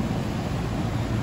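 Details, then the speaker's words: 2005 central AC outdoor unit that was blowing warm air, after cleaning the condensing coil and fitting a new Titan HD dual run capacitor. Steady low compressor hum under an even fan rush, no rattles or buzzing. Normal compressor running. "blowing bubbles hear that compressor hum in the background with a nice clean coil now job well done"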